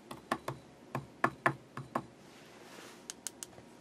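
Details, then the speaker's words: Knight KB-85 stereo tube amplifier slowly powered up on a variac, around 90–100 volts input with a sine wave fed in; sharp irregular pops and crackling, and no signal through to the output. "I hear a little bit of crackling in there. And I'm not getting anything through the amplifier right now."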